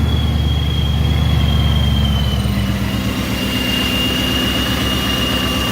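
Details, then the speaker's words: Procharger stage 1 supercharger belt after tension was tightened to stop it touching; steady even high supercharger whine easing slightly, no belt slap or rubbing, drive running clean with good clearance. "so we tighten up the tension and we'll see what happens here hopefully we'll be good even in higher rpms hopefully it won't touch anymore"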